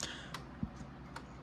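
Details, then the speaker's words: 1830s Ephraim Downs pillar-and-splat shelf clock, wooden works, unserviced, runs about 5 minutes: sparse, unevenly spaced ticks, one dull one sharp; out of beat, adjustable by bending rod slightly; owner suspects dry bushings need lubrication. "The cadence is a little off, which is adjustable by bending this rod very slightly. You can hear it's kind of uneven."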